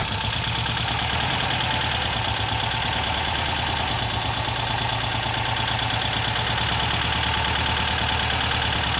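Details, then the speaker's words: Freshly rebuilt VW Type 1 air-cooled flat-four from a Karmann Ghia, first start after hooking up the coil and priming fuel by cranking, not yet broken in; steady, even idle with a quick light patter and no knocks or misses; normal idle. "it should have fuel primed since you kind of cranked it a bit so hopefully it should start right up right now"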